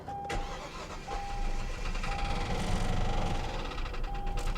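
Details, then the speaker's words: Hyundai Genesis with 243,000 miles at an insurance salvage auction, listed as non-running: cranks and catches, then runs with an uneven, lumpy beat and an odd extra noise underneath, check engine light flashing; cause unclear. "it runs what is that noise check engine light flashing check engine light TPMS airbag light 243,000 Mi on the odometer H well I sure don't like the way that sounds"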